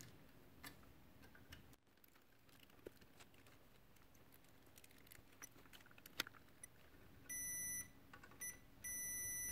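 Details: Keithley 619 two-channel electrometer under repair: quiet bench probing with clicks, then steady continuity beeps as the probes touch, revealing a shorted capacitor; it was replaced with an SMD tantalum capacitor.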